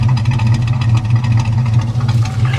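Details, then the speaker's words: 1974 Chevy El Camino 327 V8, said to run rich: even, deep, loping idle with a smooth regular beat and no tapping or knocking; idling well. "you can hear her running man like she actually sounds pretty decent"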